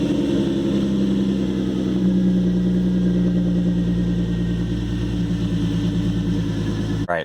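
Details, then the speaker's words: 2013 Hyundai Genesis Coupe 3.8 V6 Track, manual, after a DIY power steering pump replacement: steady, even idle with a smooth low hum; the earlier pump whine is gone, so the install succeeded. "as you can see yeah that one is that uh winding noise is gone from the power steering pump so it looks like it was a successful install"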